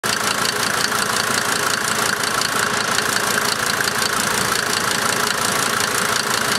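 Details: Rough idle on a 1990 Mercedes-Benz 300D 2.5 turbo diesel: uneven, lumpy knock about three per second under constant diesel clatter; cause not evident.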